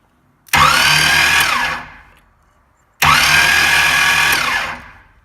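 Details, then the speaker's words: 1988 GMC starter tested on the engine, jumped across solenoid terminals with battery cables: two short bursts of clean high electric whine winding up and coasting down, no metallic scraping or grinding; starter sounds perfect, no shimming needed. "Alright, so that sounds perfect. I don't need to shim it or anything."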